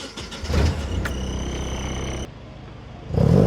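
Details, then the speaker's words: Nissan 240SX drift car with a freshly swapped healthy-compression KA24DE: the engine revs from idle cleanly and smoothly all the way to redline with no stumble, no smoke from the exhaust, and no leaks. A healthy motor. "No smoke out the exhaust. It actually revs all the way up to red line cleanly, smoothly."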